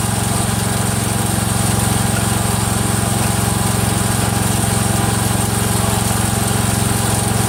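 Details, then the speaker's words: Freshly rebuilt Kohler single-cylinder engine in a Cub Cadet 102, steady running with a light regular tick on the firing beat from the front pulley coming apart; the rod is not loose. "well we found out our pulley shot in the front coming apart so that's what that clicking noise was you use you guys are hearing there's nothing wrong there the rods not coming loose or not is that damn front pulley"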